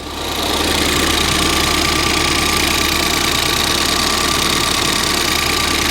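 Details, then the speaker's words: Ford Fiesta ST idling after fitting a replacement cloned ECU that cured a misfire: fast, light ticking about three per second over a steady idle, said to come from the fuel rail; injector clicking, engine sounds sweet, probably harmless. "clicking is coming from the fuel rail the engine sounds sweet"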